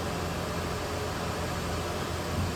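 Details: Ford F150 in forward gear, light load: steady, smooth drone, no knocks, ticks or slips; letting transmission oil circulate, fluid level still to check; drivetrain healthy.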